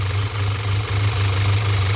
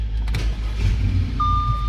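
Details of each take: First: 2014 Audi A4 2.0 turbo, misfire complaint, code P0171 system too lean at idle: shaky, uneven idle that sags and recovers with air-sucking sound; PCV valve stuck open causing vacuum leak. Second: 2014 Audi A4 2.0 turbo restarted after repair and clearing the check engine light (P0171 lean): low, even idle rumble without stumbles or misses, single chime over it; idling fine.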